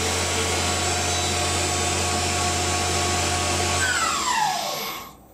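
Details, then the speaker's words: Machine spindle run at maximum rpm, lower bearing grease possibly contaminated by coolant: steady high-speed hiss with slightly gritty, crunchy edge, then smooth wind-down; bearing concern unconfirmed. Hissy crunchy spindle noise. "it's got a slightly sort of hissy hissy crunchy noise you know it's just a little bit worrying that sound"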